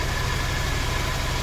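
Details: Honda Forza350 scooter after repair of fuel pump that caused intermittent no-start (previously started only 2-3 of 10 tries, needed shaking): quick even putter with steady beat, no stumbling; normal idle, now starting every time.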